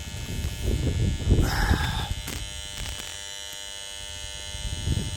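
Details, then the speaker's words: Bell & Howell 652 16mm film projector, salvaged from the trash and powered for the first time: a coarse, uneven electrical buzz with rattling bursts, then a fainter hum, while the motor smokes near a relay on top. Electrical buzzing, cause unconfirmed. "Where's that noise coming from? There's where the noise is coming"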